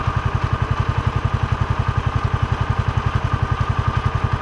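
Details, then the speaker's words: John Deere Gator (Kawasaki engine), hard to start: idles lumpy and uneven, sagging and trying to die, needing constant choke and throttle feathering; plug wet, carburetor good, failing ignition coil replaced. "y'all can see me Feathering that you can hear it trying to die out now y'all can see me Feathering the choke and all that stuff and it's like a balancing act choke throttle all the time then it finally hits"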